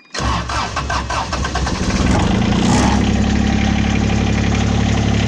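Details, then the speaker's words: Diesel tractor with six-foot deck, cold start on a cold morning around 40 degrees after about 10 seconds of preheat; brief crank, catches at once and settles into an even diesel clatter at idle with no misses. "nice cold it's a cold morning here it's probably 40 degrees um i mean she starts right up"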